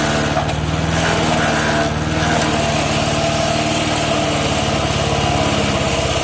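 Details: MTD 5 hp chipper/shredder, owner guesses 1990s-built, running after a carburetor kit replaced the bad carb: small engine holds a steady buzz while chipping, dipping briefly as material feeds in, then pulling back up; normal running under load.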